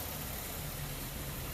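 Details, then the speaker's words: 2004 Buick LeSabre 3.8L V6 with rough idle; codes P0102 (MAF circuit low frequency) and P1811. A steady, slightly uneven, lumpy idle hum with no knocks. The scope shows the MAF signal at 380 Hz instead of about 2400 Hz, pointing to a failing mass airflow sensor. "Issue is it has, well, rough idle."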